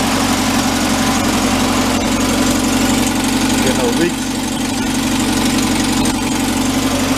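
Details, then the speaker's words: 1959 VW Type 2 truck, air-cooled, first start after a year sitting in a museum: steady even idle with no skips or knocks, burping out a little air; fuel pump or distributor base leaks some oil. "sounds good burping out a little bit of air"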